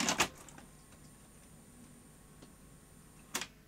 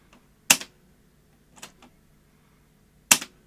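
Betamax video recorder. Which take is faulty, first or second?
second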